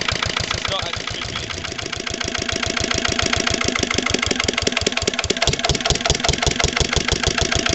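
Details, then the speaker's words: Lister LD1 single-cylinder diesel on a chilly morning of about 5–6°, after a fuel filter change and bleeding: a hard, rapid, uneven thump with a shifting rhythm. It started and runs rough; owner suspects a missed step when bleeding the fuel system. "so you can probably tell from the way starting sight is right at all running next really just isn't right"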